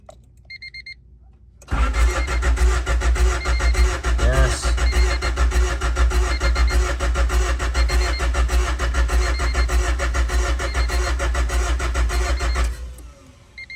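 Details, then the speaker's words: Freshly rebuilt D16Z6 swapped into an EF Honda Civic hatch race car, cranking with plugs and injectors disconnected to prime: steady even cranking about eleven seconds, no firing; healthy crank, nearly 20 psi oil pressure. "So, I'm just going to keep cranking it. And maybe it's just because there's healthy. She got almost up to 20 lbs of oil pressure just on the crank."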